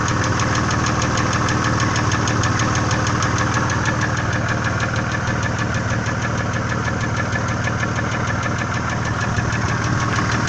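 Steady idle with a fast, even ticking of about two per second riding over the engine, typical of noisy hydraulic lifters and worn cam lobes.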